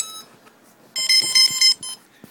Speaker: hear all of the all the motors and esc s did the usual thing